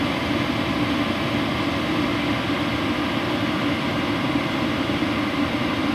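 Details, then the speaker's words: WIPPRO diesel heater turned back down to power level 3: soft, even fan rush with steady low hum, no ticking or pulsing; running normally and quietly at low setting. "So far so good. Nice job, WIPPRO. Nice, quiet diesel heater."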